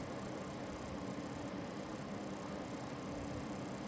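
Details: Lian Li TL LCD 120 case fan, under a year old, run at full speed gives a steady buzzy rattle over its airflow hum; normally heard over other fans when rpm changes.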